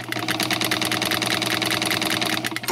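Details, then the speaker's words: Sewing machine that arrived damaged in shipping, running at full power with the pedal fully down before lubrication: rapid, even needle-mechanism clatter but sluggish; oiling key points is planned next. "it's not horrible it's not absolutely horrible"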